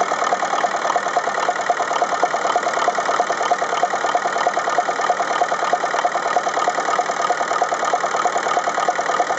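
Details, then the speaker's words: Ferguson TEF-20 diesel tractor, cold start at idle: lopsided rhythmic knock near three a second with a gap in the firing; exhaust-stub temperature checks confirm the number three cylinder is dead, and its injector nozzle is to be replaced. "okay so that was pretty conclusive proof that this number three cylinder just isn't running the other three are firing fine"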